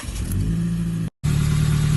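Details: Pickup truck: loud, deep, blatty exhaust rumble from an exhaust leak, before temporary fix using number three round-head rivets.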